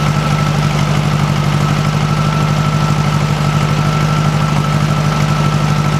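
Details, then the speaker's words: 1956 VW Beetle air-cooled flat-four, cold, after swapping bad Weber 34 ICT carbs for a stock Solex 34 PICT 3: steady, even low putter at idle with a faint constant whistle; healthy, still needs some adjustment. "exactly healthy I don't think it's gonna blow up anytime soon"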